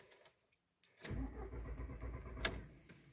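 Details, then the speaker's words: VW Jetta A4/MK4 (classic): steady starter cranking for a couple of seconds that never catches and fades out; intermittent no-start after short errands, check engine light sometimes on; no fuel delivery, traced to a failed fuel pump relay. "intenta dar marcha pero no existe el famoso encendido vuelvo a encender se queda dando marcha no enciende este es el principal síntoma que me da"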